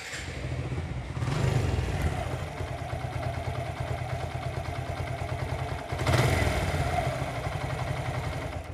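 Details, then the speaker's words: Suzuki Gixxer motorcycle after repair: engine idles smoothly with two throttle blips, no knocking; before it made a clattering sound like a broken internal bearing. "নিখুঁত sound. আর আগে যে যেরকম সাউন্ডে ছিল, এটা মনে হবে যে ইঞ্জিনের ভিতরে কোনো বেয়ারিং নষ্ট হয়ে গেছে, এরকম সাউন্ড ছিল।"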